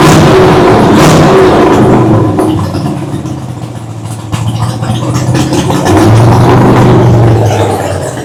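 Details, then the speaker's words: Big-block V8 first fired after sitting close to a year, light throttle: deep lumpy rumble rising and falling smoothly with pedal, fires cleanly, no knocks or misses; normal running, maybe burning some oil, carburetor idle still to be set. "woo buddy we are cooking with fire we are cooking with fire now damn that thing sounds good"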